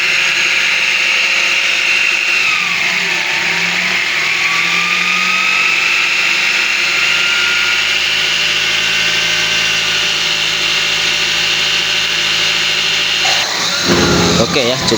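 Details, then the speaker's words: Nissan X-Trail T32: steady high buzz from the engine front that rises with revs when accelerating, with a faint rattle underneath; two abnormal sounds, traced to a worn tensioner pulley bearing plus a water pump bearing rattle. "Well, here we get two abnormal sounds. Okay, the first thing we have to do is analyze them. The first sound is a buzzing sound. It's clearly a buzzing sound."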